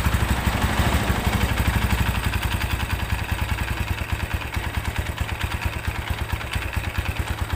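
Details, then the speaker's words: Tiger Evo motorcycle at about 1,000 rpm idle: a rough engine with a loose metallic clatter of about three knocks a second that grows louder when the clutch is pulled. "kita coba kopling kalau di kopling malah makin kencang suara ngaklaknya"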